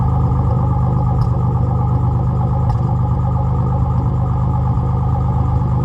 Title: Z31 300ZX misfire before top end rebuild